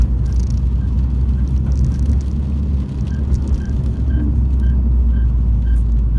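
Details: MINI engine at idle with a low rumble and a faint, high, regular chirp about twice a second; the drive belt is slipping and squealing.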